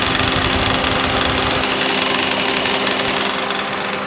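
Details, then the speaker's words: 2007 Honda CR-V engine idling warm with A/C switched on: busy uneven rattle, shuddering and faint tone under load; owner suspects belt tensioner/idler pulley behind power steering pump, fixed by replacing tensioner. "so I'm assuming that's going to be a tensioner problem cuz it only does it under load um squeals real bad"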